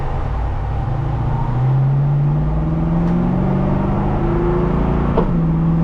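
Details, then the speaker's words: 1965 Ford Mustang Fastback V8 on road test: deep rumble climbs steadily in pitch under acceleration, drops cleanly at the shift, then carries on; runs strong and healthy. "Sounds good, huh? Yeah, it does."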